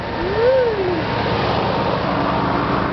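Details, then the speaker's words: 1991 Subaru cold-cranked on a chilly 17°C (62°F) day, pedal down and choke pulled: the engine settles into an even, unbroken run with no knocks or stumbles. Healthy idle after the cold start. "crank her up that sounds pretty good wow"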